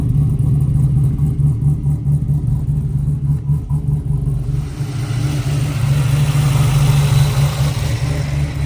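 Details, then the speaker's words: 1968 Camaro Pro Touring, supercharged LS3 V8, cold start at about 30 degrees outside: deep, slightly uneven lope from choppy cam, note shifts midway; otherwise normal healthy idle. "It's a cold start. It's only about 30 degrees outside, so you can hear how she sounds. Does have a little bit of a choppy cam."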